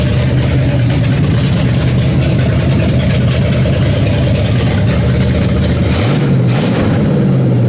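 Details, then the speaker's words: V8, down over a year, first start after quick initial carb and timing tune: deep steady slightly lumpy rumble with one small blip; running fine. "It fires, it runs, it does a thing."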